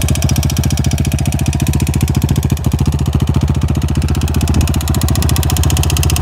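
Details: Yamaha TT-R 250 single-cylinder at idle: sharp, steady knock on every firing stroke, about three to four per second; internal engine knock.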